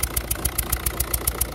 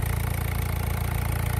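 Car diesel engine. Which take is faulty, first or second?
first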